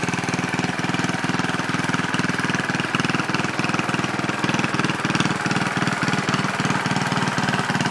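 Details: Original 1963 Cub Cadet single-cylinder on its first drive after clutch work, stack fitted: steady thump about four beats a second, even and unbroken with no knock or miss; normal running.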